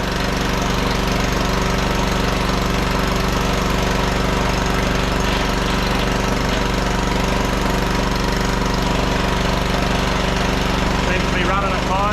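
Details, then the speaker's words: 1500 W auction generator powering a heat gun on setting one (1350 W): steady drone beating about four times a second with a little bench rattle; carries the load without bogging. "so we'll see if we can run this good all right that's on number one"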